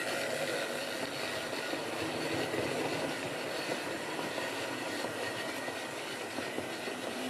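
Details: Wrenn West Country class model loco Lyme Regis, unrun since the 80s, after servicing: couplings freed of paint on bearings, joints greased. Even, steady small-motor whirr with light wheel and gear clatter, no catching or grinding; runs smoothly.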